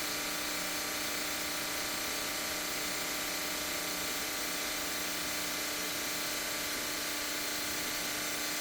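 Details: Maytag commercial washer MVWP575GW0, bought 2021: for two months a loud fast clicking/buzzing from the front left at start of fill, over water-fill hiss; owner believes it relates to drum lock release, not confirmed.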